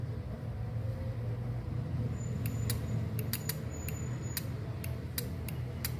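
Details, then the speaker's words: Microwave-board relay coil energised on the bench: crisp, sharp clicks over a low steady hum, about nine in four seconds, as the relay pulls in cleanly; the clicking shows the relay is good. "Então, quando faz esse barulhinho, é porque o relé está bom."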